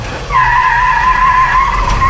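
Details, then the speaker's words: Jeep J10 with new front tires on highway after burnout: sharp steady high-pitched squeal at high revs, new for this truck; belt squeal, possibly flipped or slipping belt, later deemed fine. "whoa oh now it's squealing a belt which it never has been before we need to look and see if that's flipped a belt"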